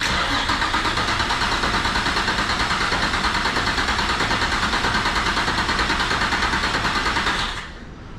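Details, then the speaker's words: Turbo VQ35 swapped Nissan S13 cranking with fuel pressure held to build oil pressure: brisk, even cranking at about three compression pulses a second for seven seconds without firing; starter spins this engine strongly, far better than the previous blown-up engine. "All right, this motor's cranking way better than the other motor. That motor was cranking like super slow since it was off, it's all blown up."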